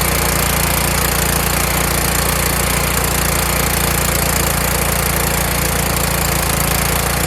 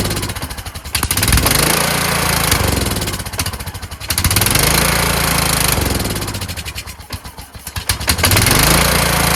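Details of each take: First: Kohler Courage engine on a tractor, winter, engine cover off, after swapping in the donor engine's carburetor whose choke now springs back by itself: loud, even beat of about three and a half pulses a second with no misses. Normal running. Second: Kohler Courage engine on a tractor, run on choke after a cylinder head swap, carburetor replacement and valve lash adjustment; uneven surging with loud swells and sags, revs never settling. Owner thinks the throttle bracket and return spring are involved.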